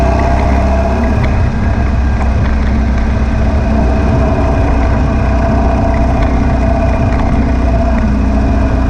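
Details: Air-cooled VW beach buggy after clearing a blocked idle jet in the driver's-side carburettor and rebalancing the carbs: a steady, even rumble at a fast-ish idle with no pops or stumbles. The misfire seems cured.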